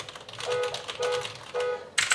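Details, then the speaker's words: Allreli K643 RGB mechanical keyboard with Blue clicky switches (not genuine Cherry), typed right after a quieter Cherry MX Black SteelSeries 6GV2: sharp, loud, crisp bright clicks in short bursts, no rattle, much noisier; normal clicky switch typing. "Vous voyez que celui-ci fait quand même beaucoup plus de bruit, donc ça dépendra de chaque personne."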